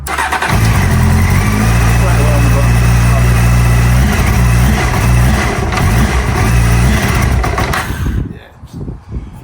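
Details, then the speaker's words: Honda Hornet CB600 motorcycle, stone cold, started on choke: runs rough and uneven several seconds then dies abruptly, repeatedly cutting out; mechanic suspects a fueling issue, possibly carb vacuum tubes; engine cutting out after cold start. "But when you go to start it up, it starts on the choke. It's brick cold at the minute. It's just cutting out."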